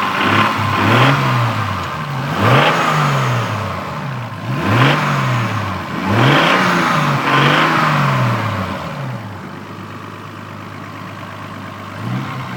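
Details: Toyota Supra MK3, stock, 200,000 km, burning 1 liter of oil per 600 km: repeated short rev blips with a raspy mid-pitch noise rising on each rev; owner suspects valves or injectors, not confirmed.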